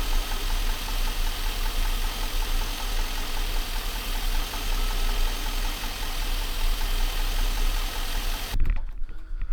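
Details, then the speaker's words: Junkyard 5.3 Vortec LS V8 swapped into a Chevrolet Silverado 1500, first startup; deep, uneven beat with wavering revs, needs slight throttle held to keep running, owner suspects very old gas or computer needing to relearn. "Okay. So, it starts up. Um, the only thing is I got to be holding the the gas just a tad bit. I'm not sure. It could be that the gas is very old."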